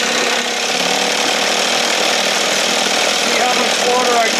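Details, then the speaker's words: 1968 Evinrude 6 hp two-stroke outboard on a stand in a water tank, throttle just above timing mark, feeling warm: steady buzzy drone with even firing, no misses or surging; running healthy and clean. "yeah babe you sound good"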